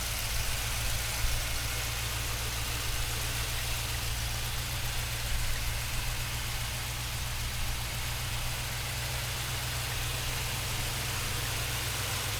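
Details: 1971 Chevrolet Blazer, frame-off rotisserie restored, 350 four-bolt-main V8: deep, even burble at steady idle with no knocks or ticks over the rumble; healthy, smooth-running engine.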